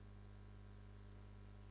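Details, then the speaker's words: External microphone on a Nikon camera powered by a Neewer dummy battery from mains: faint steady low buzz under a quiet room, electrical hum absent with the internal microphone. "So, this is the sound with the external microphone that I'm using right here using the dummy battery. And you can hear the buzzing noise."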